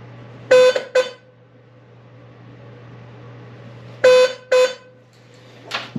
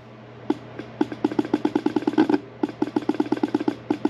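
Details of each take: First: 1982 Fiat 124 Spider outer horn, previously dead, retested after re-crimping its loose ground wire at the grounding pod; two pairs of short clean honks, steady mid pitch, no crackle; that horn now works, left one still to be checked. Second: 1982 Fiat 124 Spider horn, reassembled and bench-powered from a power supply: dry rapid clicking and buzzing, five or six pulses a second, no horn note; rusted diaphragm moves but horn is a dud. Failed horn diaphragm.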